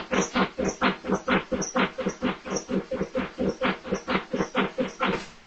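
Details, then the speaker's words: 2009 Subaru Outback at -5°F, hairdryer warming the intake temperature sensor, battery jumped from a second vehicle: steady cranking at about two compression pulses a second for five seconds, never firing; cold crank no-start. "It was cranking pretty good, but it didn't start."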